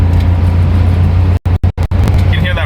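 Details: Suzuki Cappuccino EA21R kei car with three-speed automatic, floored on the interstate up to the speed limiter: deep steady low rumble drones under the cabin; cause unconfirmed.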